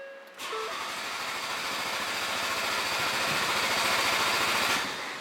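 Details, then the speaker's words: Ford Focus RS Mk3 with big Precision bolt-in turbo, fuel pressure relieved by pulling fuse F56 before Stratified aux fuel kit install; in neutral, engine catches and runs a few seconds with a busy, even patter, then sags and dies from fuel starvation. "And according to them, it says let it run until it starts to choke. And it just dies. And it died."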